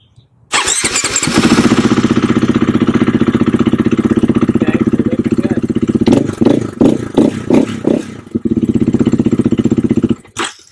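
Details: KTM/Husqvarna single-cylinder dual-sport that lost power, suspected low fuel pressure from in-tank pump/filter: fires up and runs evenly with crisp regular firing and clean throttle blips, no stumble; normal running.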